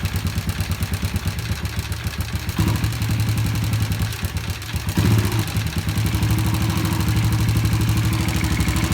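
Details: Yamaha Jupiter Z motorcycle engine at idle: a loud, sharp tek-tek knock on every beat from a worn, loose connecting rod. The fix is to replace the rod and fit an original crankshaft bearing.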